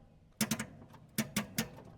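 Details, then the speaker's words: 1984 Jeep J20 3/4-ton with AMC 360, sitting since 1998, fuel system primed: sharp dry starter clicks in two quick sets of three with no cranking, because the battery is dead. "that battery's dead that was super close it wasn't it ain't that it's something the s's clicking"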